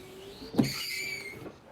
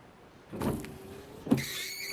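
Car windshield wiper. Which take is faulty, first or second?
first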